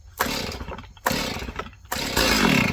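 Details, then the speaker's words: Small mixed-gas two-stroke (chainsaw, blower or weed whacker) on full choke; three starter-cord pulls, on the last the engine catches briefly with a short burst, first fire, so now take choke fully off. "Once you do this, pull it 5 or 6 times till you hear when that turns over one time. You'll hear it try to start."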